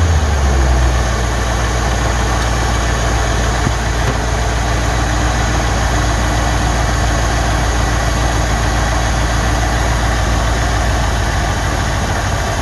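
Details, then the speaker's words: Ford engine, not much worn, running a cheap Chinese eBay 2100 carburetor after curb idle lowered: steady, even idle with smooth low rumble, estimated under 500 rpm, no hunting or stumbling; carburetor works properly. "listen to that i bet that ain't 500 rpm very nice kind of like that right there"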